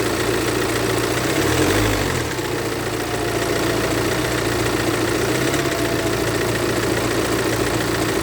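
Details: BMW F45/F48 Active Tourer 218d, 2.0 diesel B47C20A, 150 PS: diesel settles into idle with a loose, irregular clatter over the rumble, about three to four taps a second; source not pinned down.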